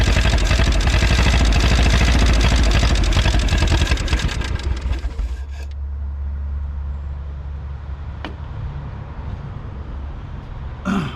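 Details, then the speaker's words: 1951 Willys CJ3A Jeep four-cylinder catching after about 52 years off the road, running on bottle-fed fuel without a fuel system, smoking. Loud even beat of about four pulses a second, then drops to a lower, steadier run. "Well, there we go. After, what did we say, 50 some years, this thing's running."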